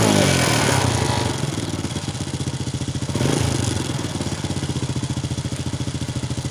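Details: Honda Wave 100 that started hard, wouldn't rev and stalled despite cleaned carburettor and new air filter, after cleaning the clogged fuel filter; picks up cleanly from idle, revs rise and fall smoothly, then steady even beat, healthy running.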